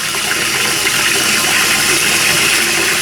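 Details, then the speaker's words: Cistern float valve after replacing only the diaphragm washer: smooth steady rush of water refilling with no hum or hammering, where it previously hummed loudly after every flush. "No hammering, humming noise at all from there. Unbelievable. All it was that washer there."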